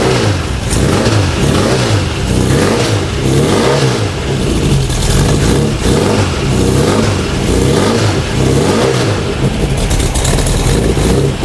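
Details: A freshly built VW/Porsche Type 4 flat-four, built for turbocharging with aluminum-finned cylinders, on a test stand: it catches and revs up and down smoothly with no misses or knocks. It runs healthy.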